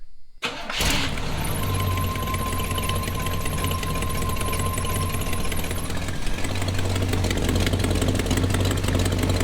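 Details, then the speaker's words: 1986 GMC truck V8, before installing used headers: cranks, catches and idles with a rough, raspy puffing tick over the low rumble from leaking exhaust manifold gaskets at two known spots. "Pretty much a lot of that noise is exhaust leak. We're gonna try to get rid of that today."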